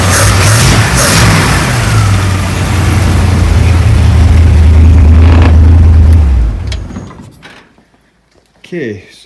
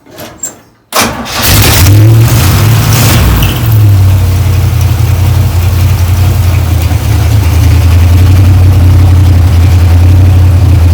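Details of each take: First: 1935 Ford 3-window hot rod, 327 V8 with six 2-barrel carbs and a 4-speed, after the loose throttle-shaft keys were thread-locked: a strong, low V8 rumble revs cleanly, holds steady for several seconds, then drops away; throttle response is healthy. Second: 1935 Ford 3-window hot rod with a 327 on six 2-barrel carbs and a 4-speed, first start in years: it catches after a short crank, flares and holds a fast high idle because loose linkage on the throttle shaft isn't returning.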